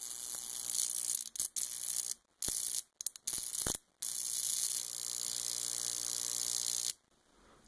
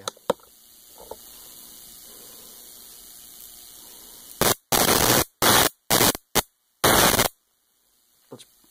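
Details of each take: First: High-voltage power supply arcing alone, with no resistor or homemade jar capacitor attached: sharp hissing crackle of sparks in short bursts with brief silences between; clean, unhindered arc as a baseline. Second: Homemade Leyden-jar capacitor fed AC (60 cycles per second) sparking across a jumper cable: five harsh, snappy buzzing crackles under a second each with silence between, snappy because it charges in spikes rather than a sine wave; AC capacitor spark discharge.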